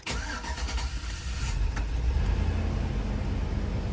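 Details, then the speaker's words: 2004 GMC Yukon V8 after replacing fuel injectors for misfires including cylinder 3 (rough idle, hesitation): brief crank, catches at once, then a deep, steady, even idle with no miss. Idle sounds a little better, maybe, with no fuel leaks. "idle sounds a little better maybe uh that whole bank number three i know was having trouble sounds pretty good no leaks"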